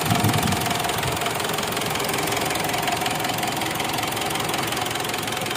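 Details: Mitsubishi Strada Triton diesel after repair of no-start that needed petrol priming: steady even diesel clatter at idle, about 160 knocks a minute, no misses; engine running normally.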